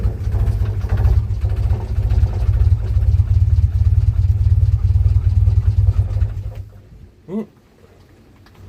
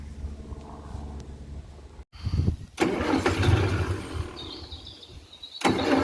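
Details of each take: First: 1947 Austin 16, off the road since 2008, rebuilt fuel pump, fuel in carburetor, choke on: steady low cranking churn about six seconds then short bursts with pauses; turns over but never catches. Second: 1947 Austin 16 off the road since 2008, cranking: slow rhythmic cranking bursts with no firing; fuel pump was not pumping any fuel, so it was removed to rebuild.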